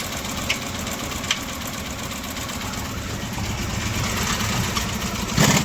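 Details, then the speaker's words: Honda City ZX petrol engine idling with fast low clatter and intermittent sharp knocks from piston and block damage; oil and water mixed, rusted internals blamed on missed oil services. "Honda ZX है। इसके इंजन में आवाज़ आ रहा है, टक टक टक सुन सकते हैं आप।"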